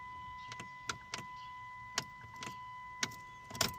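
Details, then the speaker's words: 2005 Chrysler 300 2.7L no-crank: key turned repeatedly gives only faint clicks and a warning chime, no starter whir; dash alive, battery checked; starter solenoid signal wire found disconnected, reconnected and it starts right up. "So now we're going to move forward and take a look at the starter, see what's going on, because there is nothing."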